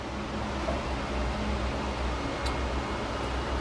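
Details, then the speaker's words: 1981 Pontiac Trans Am with LS-swapped 408 stroker, key turned back on after ECU tune upload, before first start; faint steady low hum of fuel pump priming, normal. "Back on. Fuel pumps on. I can hear it."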